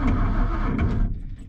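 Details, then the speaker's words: Roughly 1978 Ford F250 crew cab, a rescued truck whose rust-filled engine was freed, electric fuel pump since removed: the starter gives a low sluggish groan that fades without catching. Slow crank; owner suspects a weak battery. "Okay, battery does sound weak. She didn't even seem to try."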